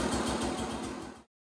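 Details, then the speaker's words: KTM 200 XC-W two-stroke after carb clean, started in two kicks; crisp, even popping at fast steady rhythm on choke, no misfires or rattles, runs healthy. "So carb's cleaned on it, and yeah, that's on choke right now, so sounds good. Happy with that."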